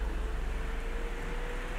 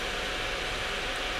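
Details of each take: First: ASUS Strix GTX 1080 graphics card after its stiff-bearing rear fan was lubricated, fan speed raised to about 80%: steady airy whoosh with a faint rising tone, no ticking or rattle; normal fan operation. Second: Asus Strix GTX 1080 graphics card: loud, constant rushing air at unchanging pitch as all fans run at maximum, because the rear fan's worn bushing has slowed it and the card speeds the others up to compensate, ignoring Afterburner settings.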